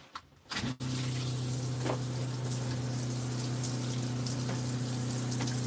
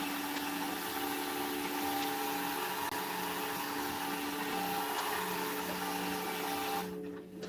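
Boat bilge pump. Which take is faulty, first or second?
second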